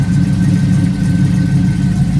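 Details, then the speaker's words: Budget LS V8 swap idling cold (gauge at 104) with deep steady burble and faint cam lope; normal idle, though a slight exhaust leak is noted. "This gauge stays at 104 when it's cold, so that's how it sounds at idle. You got it idle where you can't hardly hear my cam, but you can hear it though."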